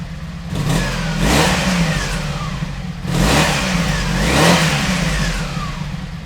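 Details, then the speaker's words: 1986 Honda VF700 Magna V4, warm, after fuel system flush and carburetor cleaning, thermostat confirmed open: revs up cleanly and falls back smoothly twice, even and crisp with no misses or knocks; normal revving. "out the bike was really sounding good I'll be excited to get it on the road"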